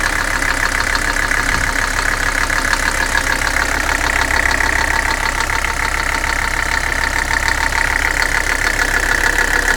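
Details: Mercedes 300SD diesel at idle: heavy, steady knock of about three beats a second over the clatter; owner believes it is the bottom end (bad bearings), linked to neglected oil leaks.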